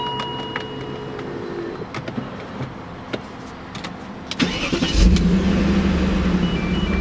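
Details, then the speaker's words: BMW E39 first start after work, hot from sun at 91 degrees: door chimes and clicks, then quick start into steady even idle, no ticking or knocking, maybe one lifter faint; quiet and healthy. "It's pretty quiet. It's got what's maybe one lifter was Very quiet. making noise. That's pretty damn quiet. That's pretty quiet."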